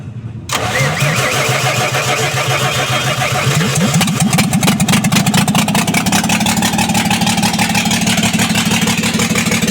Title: Injector misfire bs6 2825